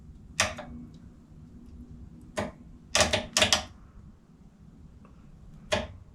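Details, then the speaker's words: Honda motorcycle starter solenoid after disassembly and cleaning, reading 0 ohms when engaged, grounded as if the button were pressed: sharp, crisp, solid single clicks. The solenoid now works. "So, we have a starter solenoid that works."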